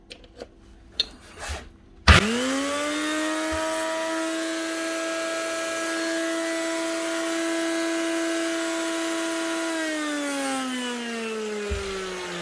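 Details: Old 240 V Makita 9609B corded grinder from the '80s or '90s: spins up to a steady high whine with a rough, gritty edge, holds speed, coasts down; gears judged not bad.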